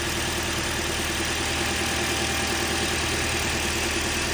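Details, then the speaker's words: 2010 Toyota Corolla engine at idle: steady idle with a hissy top end and a faint, loosely regular tapping about twice a second; owner wonders if it is the timing chain, engine does not consume oil, source unclear. "ese ruidito que tiene ahí no sé qué será a ver si me ayudan con esto por favor Gracias"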